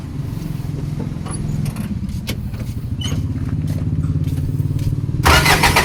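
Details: Isuzu ELF manual diesel truck that had been misfiring and bucking in 3rd/4th, after a fuel filter replacement and blowing out the fuel hose: cranks, catches and settles into an even low idle clatter with no stumble or miss.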